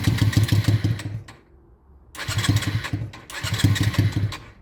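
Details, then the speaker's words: Honda Shadow restoration, after carb float work, air intakes left open: catches with lumpy uneven beat, runs about a second, dies, restarts and fades, won't hold idle. Owner suspects too much fuel or too much air. "So, as you can see, it starts on its own very, very well, but then it dies right after, which is I don't know why."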